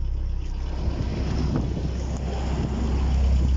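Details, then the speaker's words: Opel idling normally after fuel pump live wire burnt out from low voltage; fault traced to electrical wiring, not the fuel pump, pump bypassed directly to battery. Steady low idle hum, even and unbroken, some wind rush. "This is not something of my expertise, but as you can see, I at least found the problem. And vehicle is idling."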